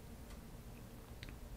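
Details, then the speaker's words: Failing mechanical hard drive in a Lenovo Y50 laptop at power-on: faint sharp clicks, a few in under two seconds over quiet hiss. The laptop hangs at the Lenovo screen, then shows checking media and boot drive failed. Click of death. "the hard drive so you guys can hear the tick of death."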